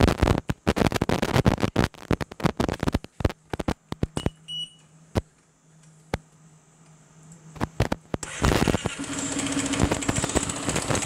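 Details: Piaggio MP3 500 HPE ABS/ASR scooter engine started with variator and drive removed to isolate the knock: clicks and handling noise, then it fires up and idles with a loud, uneven knocking; result judged not good.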